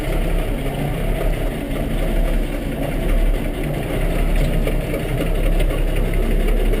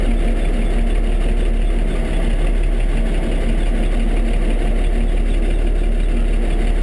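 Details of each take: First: Diesel tractor (IH 1086 or Kubota M7) on a cold start with a booster, running regular diesel: heavy rough clatter at cold idle with uneven knocking, banging, clicking and squeaking. The tach quit working; the knock source is unclear. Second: IH 1086 diesel tractor just after a cold start on a mid-20s morning, running regular diesel not bio: steady, even low idle chug, no misses or knocks; normal cold idle.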